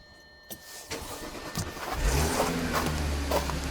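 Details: 2010 Audi A6 4F/C6 3.0 TFSI, 110,000 km, cold start: engine catches then a light metallic rattle over the fast cold idle; timing chain rattle suspected, unconfirmed.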